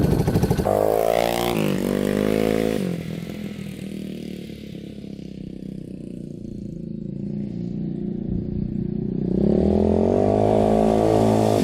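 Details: Yamaha Warrior 350 quad on a test drive after carburetor cleaning and other fixes: pulls cleanly through a dip and back up in revs, firing steady and even with no pops or backfires, good power, hardly smoking; healthy.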